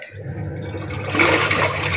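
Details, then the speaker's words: Single-tub washing machine after replacing the faulty button module with a universal module, tested filled with water in wash mode: steady churning water slosh with no knocks, grinding or stalls; agitator runs evenly. "Start. Terlihat dan terdengar ya. sudah berfungsi. Dia bisa mencuci sekarang."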